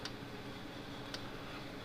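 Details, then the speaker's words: 1970s Co-op model 6609 electric fence controller just after repair and soldering, first power-on: sharp single click about once a second over faint hum, evenly spaced, flashing; pulsing normally. "There it goes. Look at it clicking right along, flashing and"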